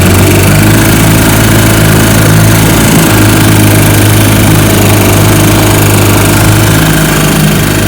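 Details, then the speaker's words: Restored 1955 Johnson Seahorse 10 hp outboard (rebuilt ignition, carburetor, lower case) on lake test pushing a 14 ft john boat about 18 mph: loud steady buzzing drone, even pitch under way, no misses or knocks; normal running under load. "so so so she's a good one he pushes my john boat my 14 foot john boat here about 18 miles an hour which is awesome for 10 horsepower"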